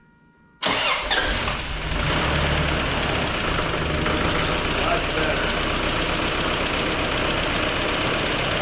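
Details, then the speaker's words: 1994 Toyota pickup 22RE, 251,000 miles, first start after new exhaust header gasket and valve lash adjustment: quick start, brief rev, steady idle with the usual 22RE click, no exhaust puffing; normal start and idle. "that's so much better. still has the infamous, you know, 22 RE click at."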